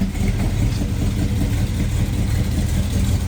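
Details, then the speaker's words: 1979 Camaro V8 after replacing damaging rocker arms with new ones, just started, oil reaching rockers: deep steady lumpy idle, no ticks, knocks or misses, sounds meaner and better, door shaking. Normal idle. ">> Dude, it sounds way ne meaner. Yeah, >> dude. The door was shaking when it when it was here. >> Yeah, it sounds way better."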